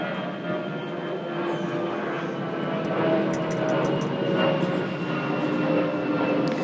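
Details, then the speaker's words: 2009 Craftsman self-propelled mower, 6.75 hp 190cc Briggs gold series engine, surging with pitch and loudness swelling and sagging; carb cleaner sprayed at intake raised rpm, revealing a massive crack in the plastic intake tube admitting extra air: intake air leak surge. "there's a massive crack in this plastic tube so what that'll do is it'll add extra air to your mixture and that's where you're going to get your serging from"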